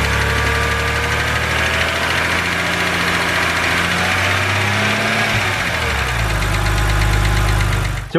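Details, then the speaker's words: BMW 130i N52 engine, cold idle, bonnet open: fast light tapping from the top of the engine at idle pace, from the hydraulic lifters; known N52 tick, said harmless; thick oil starving lifters. "you guys heard that is the infamous BMW n52 ticking noise now I just want to say that this noise is not harmful to your engine in any way"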